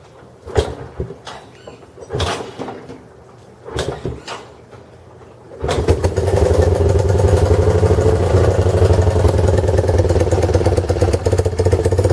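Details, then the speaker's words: 2015 Honda CB1 125cc single kick-started on choke: a few kicks, then it fires and settles into a steady, even thump with no misses; normal idle. "so let's see [Music] she's idling look at this it's a honda she's island oh damn nice man this is this is cool"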